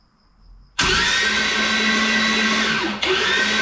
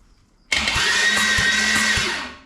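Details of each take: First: Junkyard Holden 253 V8, starter wired directly, first start attempt: even, high whirring from the starter with no firing beats, briefly stopped and restarted; cranks without ignition. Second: Junkyard Holden 253 V8 bound for a turbo build, turned over on the starter before its first start while checking each cylinder: steady cranking beat with evenly spaced, alike compression pulses; compression even on all eight cylinders.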